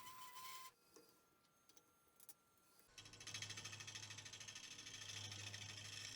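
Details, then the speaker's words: Wood lathe turning a curly maple vase outboard, with the work far from the headstock: a low droning hum with rhythmic chatter about three times a second, vibration from the long overhang. "because we're so far off of the headstock I mean you can hear the vibration that I'm getting and I knew that this was going to be an issue"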